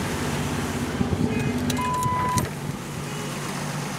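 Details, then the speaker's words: Cold 1965 Jeep CJ5 running on a newly fitted XF Falcon electronic ignition: even, low, smooth idle, no misses, some clicks and a beep; owner thinks oil is low; normal idle. "all right so that's it it's really smooth"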